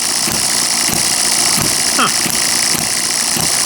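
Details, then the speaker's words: Miniature hit-and-miss engine after piston ring rebuild, first running faster than liked, maybe carb settings, then settling; small single cylinder firing in a steady beat with light tick, no misses or sputter; normal running. "I really don't like how fast it runs but maybe it was just the settings of the curb you're kind of wondering now it's pretty happy there doesn't it"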